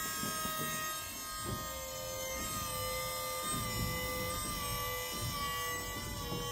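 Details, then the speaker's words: Volvo (2004-2013 S40/V50/C30/C70) electric power steering pump fitted to a 1965 Mustang, just powered from the battery: quiet steady single-pitch electric whine with background clatter; pump running normally. "there is a Volvo electric power steering pump and a 65 Mustang I think that's pretty cool"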